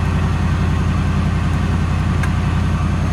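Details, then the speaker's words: Ford van with 5.4 modular V8 and unexplained coolant loss, cold start idle: lumpy, uneven low beat with roughly every third pulse weak; misfire on one cylinder heard. "actually no it is missing on one cylinder right now i can hear it"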